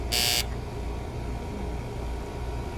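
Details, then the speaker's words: AC unit started from the thermostat on a 78-degree evening: a low, steady electrical buzz under the running noise from a loose single-pole contactor (relay); it was replaced with a 40 A contactor. "okay so it's just a little relay buzz that little cap some of them they come loose"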